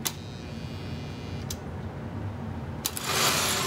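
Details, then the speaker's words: Lionel 1688 locomotive on the test track after cleaning the armature and e-unit and replacing a missing side rod: sharp e-unit clicks through neutral and forward, then an even, smooth motor whir with no stutter; running healthy. "You can hear the clicking of the E unit. That's a good sign. There's a click. Neutral. Forward. Good."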